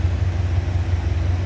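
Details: 1931 Lincoln K V8, warm, engine temperature just over 160: deep, even low rumble with soft regular pulse, no knocks or misses; normal warm idle.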